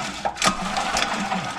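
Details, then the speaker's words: Previously locked-up engine with spark plug fitted: starter spins it fast and light with rapid even ticking and no compression strokes; no compression, something suspected broken inside, not yet opened. "now that sounds like no compression I make sure the spark plugs on and try it again sound like no compression"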